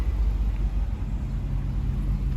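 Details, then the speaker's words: 1992 Suzuki Katana 750 GSX750F, unknown time since last run: engine instantly revs to about 5,000 and holds high, won't come down with choke fully off; owner suspects something sticking in the carburetors. "something's sticking in the carburetors because it's revving way too high choke is off and I can't get it to come down turn it on it instantly revs to five"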